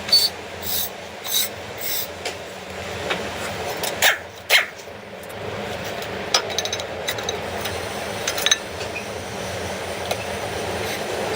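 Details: Renault front brake: uneven scraping and rasping bursts as the wheel turns, a rubbing brake, later fixed.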